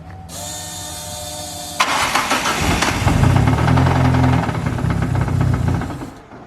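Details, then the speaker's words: 450hp 4E-FTE engine started with a blank gearbox casing and clutch removed; heavy uneven knock while running, unlike earlier rod knocks in this motor; crankshaft found snapped in half, main caps broken, engine destroyed. "this is odd that noise sounds a lot different to the other rod knocks that we've had but i don't know we'll just have to pull the sump off and have a look"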